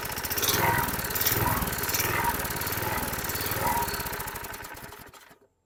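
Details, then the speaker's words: 2005 Troy-Bilt 21" push mower, engine 129K02, just started after priming: engine speed rises and falls every second or so before stalling; the primer bulb smooths it, showing fuel starvation, probably carburetor deposits. "you heard it hunting I went ahead and used my primer bulb to slowly push fuel up into the the throat and as I did you you heard the engine smooth out without giving it fuel it went back to surging surging surging so we're starving for fuel"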